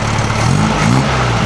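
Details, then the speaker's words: 1956 VW Beetle air-cooled flat-four with open exhaust, after rewiring fire-damaged wires, timing the distributor and correcting a faulty spark plug cap: steady, throaty even idle with no stumbles, still not revving up properly; normal idle. "Okay, that sounds better already. Yeah, that sounds different already. The idle sounds completely different."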